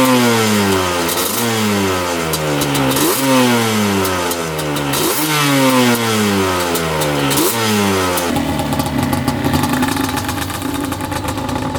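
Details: 1995 Yamaha Banshee 350 two-stroke twin, revived after 18 years in a barn, water just pushed out: several sharp rev blips rising cleanly and dropping back to a steady idle. Healthy and responsive.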